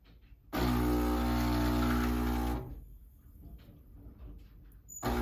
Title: Gaggia Brera squeaking sound while brewing